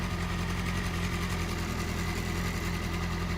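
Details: 2008 Yamaha R6R four-cylinder idling with the manual timing chain tensioner adjuster backed out too loose: fast, busy metallic rattle from the slack timing chain; fixed by turning in by hand, backing off a quarter turn and locking the nut.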